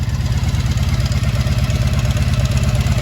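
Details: 1983 Honda V45 Sabre VF750S V4 after repairing a fuel leak, fan run manually as thermostat suspect: deep, even idle with steady low thrum about three pulses a second, no misses or knocks, healthy idle.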